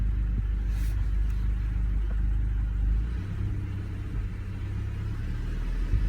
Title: Misfires Golf R20